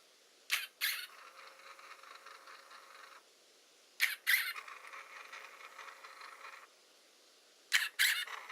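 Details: Hasselblad Winder CW drive squeak: three short motor runs, each starting with sharp chirps then a thin dry squeak throughout; cause suspected, not confirmed.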